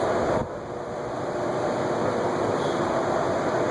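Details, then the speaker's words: Antique Westinghouse Gyro ceiling fan running: constant rough whooshing drone with dry scratchy edge, no smooth hum; restorer says it needs the cylinder pulled down and oiled because the bearing is dry. "Yeah, that one I've got to get in there, pull it down, pull the whole cylinder out, and get some oil from there."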